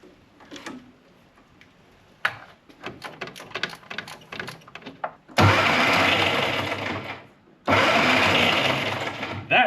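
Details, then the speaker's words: 1961 Mk1 MG Midget roadster sat 54 years, original worn starter after cleaning with electrical cleaner: two long cranking bursts with harsh, rough whirring clatter; very noisy starter but it turns the engine over. "It's a very noisy little starter, but it turns over."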